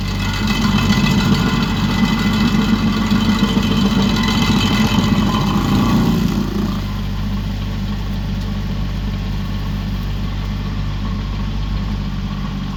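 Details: Used 2018 Woodland Mills WG24 3-point stump grinder on a tractor PTO (run below the rated 540), grinding a beech stump: heavy rough grinding over steady tractor engine, dropping to smooth idle near six seconds; cutting normally, a couple of teeth possibly dull.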